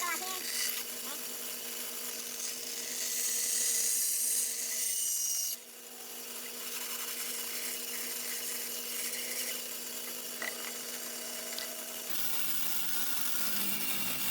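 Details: Normal cutting on a bandsaw (the shop has a 1930s 36" Oliver and a 17" Grizzly) cutting inside curves: steady hiss of the blade through wood over a smooth motor hum, even cut with no chatter.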